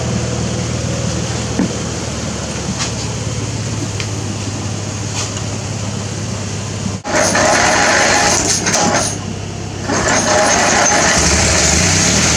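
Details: Riding mower after carburetor cleaning, draining water from the fuel tank and greasing the starter: steady low drone with no misses or surging, then a louder open sound; normal running.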